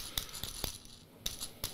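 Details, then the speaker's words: Shimano Deore rear derailleur guide pulley spun by hand: loose, dry clicking and rattling from play in its unlubricated ceramic bushing; thick grease inside would make it turn snugly without rattling. "водещото колело обикновено тука е сложено с керамика и има ето този луфт чувате ли го"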